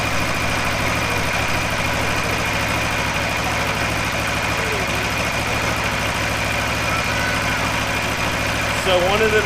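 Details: 2015–2017 Aprilia RSV4 at first service oil change, idling after start: steady, even idle with a quick, smooth firing beat, no knocks or ticks; healthy four-cylinder engine.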